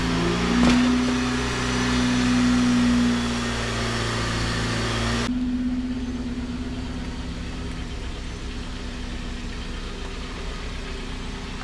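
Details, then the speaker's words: 2008 Jeep Patriot petrol four-cylinder, 191K miles, after replacing a failing coil pack and clearing #4 misfire and intake runner control valve codes: smooth even idle with no stumble, running better than ever; normal idle. "Jeep is, let me tell you, the Jeep runs so well. I don't ever remember it running this well."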